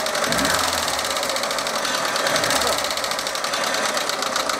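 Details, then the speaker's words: Lada Niva engine at idle: fast, even metallic tapping over a steady idle, loudest up top; a worn hydraulic lifter, found by pressing each one, to be replaced without removing the camshaft. "данный стук был конкретно гидро компенсаторы его будем менять"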